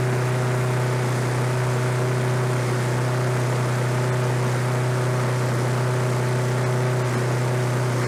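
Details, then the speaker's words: Roadside-discarded Lawn-Boy 21-inch self-propelled walk-behind mower, revived on fresh gas, low compression felt: steady engine drone at constant pitch, no misses or knocks; running normally. "that's interesting like i say this is out on the side of the road with the trash and it runs"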